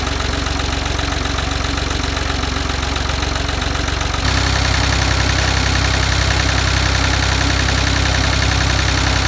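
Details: Ford 2000 diesel tractor idling on Diesel Purge, smoky at first: a steady knock about two and a half beats a second and a louder low drone after four seconds; owner attributes the noise to water, unconfirmed.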